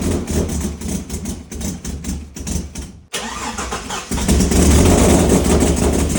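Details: Abandoned turbo Ford EF XR6, first run in about a year and a half: starter whirs, then uneven lumpy stumbling run; one cylinder dead, engine damaged with no compression.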